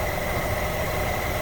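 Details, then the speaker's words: Nissan Altima with AC not working, after repairing the wiring at the compressor plug: steady engine idle with a faint constant compressor hum, no clatter or squeal; the compressor clicks on and runs normally, so the repair fixed it. "all right you so hear it hard to see from this angle oops buttons on the other side and there we go compressor's running"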